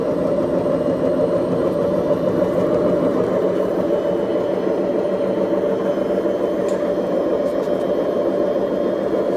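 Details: BEKO washing machine, 7 years 8 months old, with bad bearings: a steady, even rumbling whir with a gritty edge throughout, drum bearing noise from worn drum bearings.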